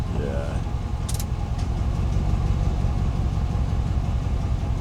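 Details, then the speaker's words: 2001 Ford F-150 that sat for years, after vacuum leak fix, running with AC on: low drone with uneven stumbling beat, missing only under load — misfire under load. "It's missing missing with the AC. It's just under load."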